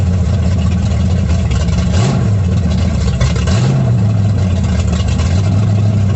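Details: 1937 Dodge Brothers truck with a Holley 650 carb whose bowl is sealed with a modified gasket, no leaks: deep, steady V8 rumble with two clean throttle blips rising and falling smoothly; normal running.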